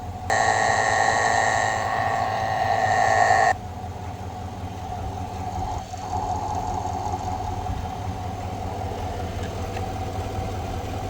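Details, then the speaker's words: 2020/2021 Chevrolet Silverado V8 after replacing the idler pulley and serpentine belt: steady, even idle heard via funnel at the idler pulley bolt, with the earlier whine gone. "Cannot hear it at all. Anyway, idler pulley for a whine on a 2020 Silverado and new belt."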